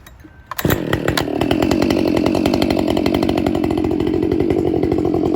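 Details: Husqvarna 572 autotune chainsaw, warmed up, making a long wide-open-throttle rip cut aiming for about 9,000–10,000 rpm: a strong steady high-revving buzz. The autotune adjusts the rpm under load and winds back into the motor's peak torque near the end.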